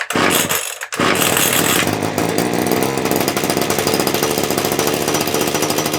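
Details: TITAN two-stroke hedge trimmer, reassembled with its broken handle glued, pulled and started; catches and holds a steady, even high buzz with no misfires or hunting; running healthy.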